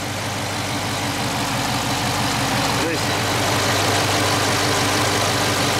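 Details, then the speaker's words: Dodge Charger 392 HEMI V8 (Scat Pack) idling on startup: steady, even idle with a faint normal tick, no loud lifter clatter; healthy engine, as a normal 392 should sound (these can suffer lifter failure). "so that's what a normal 392 engine should sound like six two six four they all sound pretty much the same they should sound like that there shouldn't be like too many crazy ticks coming from it"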